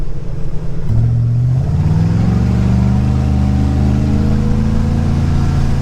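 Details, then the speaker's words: Cheap used speedboat engine after new spark plugs and plug wires, warming up on the water to 120°; picks up and settles into a smooth even drone with no misses; the earlier misfire seems fixed. "good sounds like it's running good so far I haven't heard a m yet and we're up to 120° so hopefully that fix the problem"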